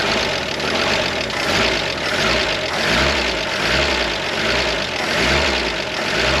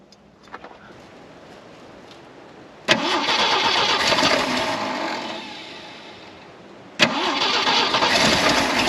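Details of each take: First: 1973 Jeep CJ5, sat 16 years, running on bypass electric fuel pump: coarse tractor-like idle with a slow even swell about once a second, no knocking; oil pressure up to 40, engine now running steadily. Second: 1973 Jeep CJ5, off the road 16 years: the engine surges, sags and fades, is restarted and stays rough; something major is wrong with the carburetor, and another carburetor may be needed.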